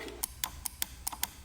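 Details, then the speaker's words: 1988 BMW E34 with M20 and factory five-speed, barn find with a nonworking fuel pump, fuel pump relay removed and powered: crisp, sharp clicks about every quarter second, relay switching cleanly; normal relay clicking. "and you can hear that the relay's clicking when you give it power so the relay is working and it's good"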